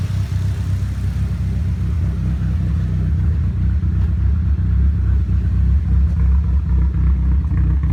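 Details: Nissan Silvia S15 after complete respray with engine removed and reinstalled, ran perfectly before removal: low, lumpy, uneven loping idle with no steady rhythm; rough idle, cause not yet found.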